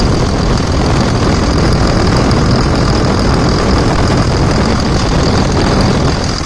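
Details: 2000 Dodge Ram 2nd-gen Cummins diesel after bypassing problematic AC compressor pulley with 65" non-AC serpentine belt: loud, dense steady idle, no squeal, chirp or flapping; new tensioner, previously wobbling, now steady; normal idle.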